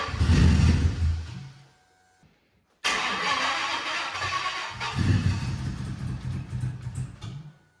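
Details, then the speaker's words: 2008 Toyota Prius with 5.3L LS V8 swapped in, first cold start: catches with lumpy uneven beat, stumbles and dies; cylinders one and two cold, flooded by leaking injectors. "okay well we definitely have a cylinder one this that's ice cold the other ones are warm right number two is cold too"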